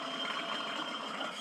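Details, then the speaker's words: Mower deck blade spindle, removed and spun by hand, one wobbly: dry scratchy whir with thin high ring coasting down. Dry, worn spindle bearings. "that's not how they're supposed to sound so I went ahead and ordered a set of these"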